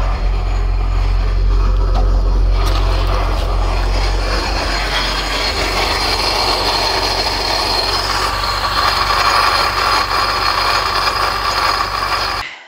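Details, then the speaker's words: 1989 Chrysler Shadow running, power steering fluid added while chasing the noise: uneven clattering rattle with a thin squeal on top. Owner found the water pump pulley loose. "Quería mostrarles más o menos cómo funcionaba el motor, pero con el ruido que tiene, que de hecho ya vi que es la polea de la bomba de agua que está suelta, como pueden ver en ese video."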